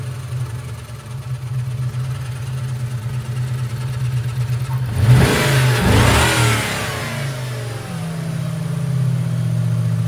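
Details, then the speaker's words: 1998 Mustang GT 4.6 2V after intake manifold and cracked PCV hose replacement: throttle blip then loud steady hum on deceleration as idle sags and nearly dies; faulty idle air control valve. "I replaced that and it's idling much better, but one thing you'll hear is this really loud hum after you accelerate."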